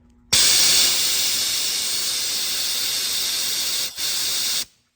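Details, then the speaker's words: Mazda B4000 with an LT1 5.7 swap, during a coolant vacuum fill: a sharp, steady hiss for about four seconds with one brief dip. Air is leaking past the fill cone, which is not sealing on the inside, so a different tool is needed. "Well, turns out it's actually just not sealing on the cone and the air is actually leaking out of here."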